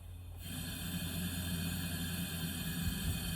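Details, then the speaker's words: 1963 Chevrolet C10 Stovebolt straight-six, hot, leak-down test on cylinder 3 (100 psi vs 150-160 on others): steady hissing air rush with faint flutter, air going into the block, not intake or exhaust; suspected burnt piston or ring. "Yeah, and that sounds way different. So it doesn't feel like it's coming from the intake or the exhaust."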